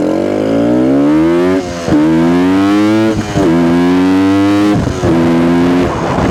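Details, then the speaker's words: 1972 Suzuki TS250 two-stroke, with the 170 jet left in for a fuel delivery problem: crisp revs climb cleanly and drop back without stumbling or bogging between blips; sounds more responsive. "okay that's uh see what you do now that sounds more responsive"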